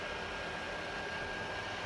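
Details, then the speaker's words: PS4 Pro running about five minutes playing WW2, before cleaning; constant airy roar with a faint steady high tone: cooling fan working hard. "This is what a loud PlayStation sounds like. I've only had it running for about five minutes, turned on WW2 here and you Hear the PlayStation is too loud"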